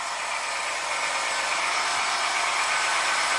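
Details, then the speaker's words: 2017 Jeep Wrangler Rubicon petrol V6 with codes P0390 and P0394, cold start, oil pressure 50 psi: loud dense metallic rattle about 30 seconds until cats warm and exhaust cams return to default, then quiet; cold start engine rattle, cause unconfirmed. "It rattles pretty bad until the cats warm up and the exhaust cams return to default position."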